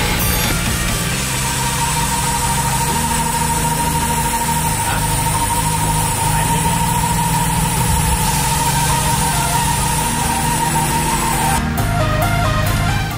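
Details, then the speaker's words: F22B1 VTEC engine swapped into a Honda Accord Maestro CB7, idling after the power-steering hoses were refitted: a steady high whistle over an even idle. Ignition timing was not yet set right; adjusting the timing made the engine smooth again. "ini ada suara siul dari keluar teman-teman denger ya di timing nya coba cek dulu lah kita atur timing nya karena sebelumnya setelannya Masih belum pas"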